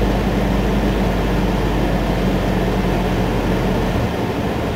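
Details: Ford ZX2 idling with defrost/AC on; steady loud idle drone that sags and hunts unevenly instead of holding speed, normal when off; pulling the interior AC fuse cured it, owner assumes a bad AC compressor.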